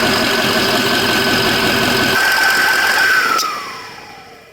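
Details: 2004 Ford F350 6.0L Power Stroke diesel after a Sinister Diesel adjustable fuel block (blue spring) upgrade, restarted just to record the sound. Steady idle under a clear high turbo whistle that winds down smoothly, with no knocking. Healthy idle.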